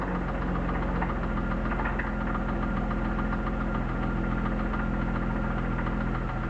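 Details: BMW E36 323i, 1995, M52B25, 140,000 km, at idle: quick, slightly uneven ticking knock, about three to four a second, loudest at the front above the VANOS; lifters and upper chain tensioner new, no metal in oil; owner suspects crankshaft or connecting-rod bearings.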